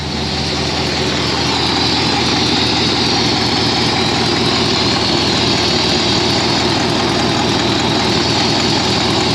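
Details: Ford V8 with 4-barrel carburetor, after sanding a sticky slide-linkage spot suspected of making the 4-barrel stick open, hood open: strong, steady roar under throttle with no hesitation; throttle returns cleanly and the engine sounds healthy.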